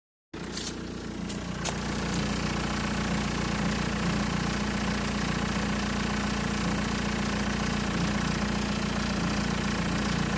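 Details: Steady idle with a fast, fairly even metallic rattle, about four beats a second, over the engine note; owner suspects timing chain rattle.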